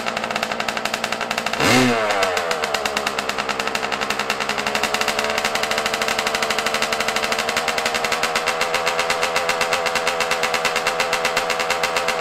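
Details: Yamaha YZ125 two-stroke dirt bike, cold start at about 20 degrees outside, running rough before adjusting the carburetor air screw and idle: rapid crackling idle after a quick blip with slightly uneven pulses, off-tune and needing carb adjustment.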